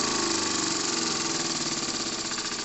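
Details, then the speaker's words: Restored André Lecomte 5 cm³ model live-steam engine run on compressed air at about 1.5–2 bar: loud steady hiss of escaping air over a quick slightly uneven chuff that slows at a tight spot; leak cause unknown. "Donc poum, toujours ce bruit bizarre de fuite."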